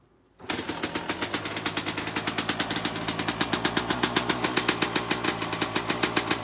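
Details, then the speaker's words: 2003 Suzuki RM 250 two-stroke, stock, completely cold start on choke with throttle cable removed: fires on the first kick then settles into fast, crisp, even popping with no misses; normal cold start. "So choke on. Let's see if this bad boy will fire up first kick."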